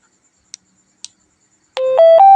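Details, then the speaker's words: Handheld two-way radio after swapping in a speaker from another radio to replace the distorted original: a clean rising three-step tone after a couple of key clicks, loud and undistorted even at full volume; the speaker works. "เสียงดีะตัวเดิมแตกเนาะเสียงดีแล้วนะครับ"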